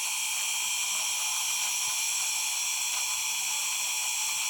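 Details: Xnova 2204 motor: high steady whine with a faint rapid ratcheting rasp on it, no speed change; abnormal motor noise, cause unknown.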